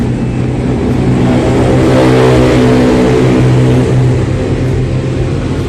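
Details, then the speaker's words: Yamaha Jupiter Z (DC ignition) revving with an uneven, stumbling misfire and power loss; still stutters on a fairly new battery, so the charging system (stator coil, charging circuit) is suspected of weak ignition. "karena logikanya di sini aki yang seperti ini yang masih terbilang bagus ya, tetapi dia udah berebet ya"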